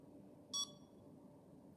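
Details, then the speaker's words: CADD Prizm infusion pump during power-up after the medication cassette door is attached: one short clear high beep over a quiet room as it runs its automatic self-checks; normal self-test tone. "So we'll let it finish going through its automatic review."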